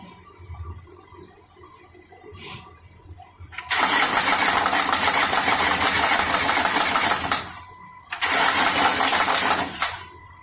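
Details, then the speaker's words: 2013 Honda Pilot that stalled while driving, with the timing belt jumped (owner suspects low compression and possibly bent valves): long cranking attempts with rough uneven thumping as the belt slaps the front timing cover; engine never starts. "But I want you to hear it, because it is popping and making, not backfiring popping, but it is slapping the cover and making like a thumping noise."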